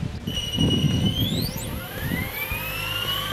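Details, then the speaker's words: Goblin 500 electric helicopter after reprogramming the Castle Talon 90 ESC to Heli fixed end point mode (the defaults were problematic): the whine rises smoothly and gradually as the rotor winds up, a clean slow spool-up with no stutter. "okay I have the helicopter bound and we're ready to spin it up and see what it does first we should expect a nice slow spool"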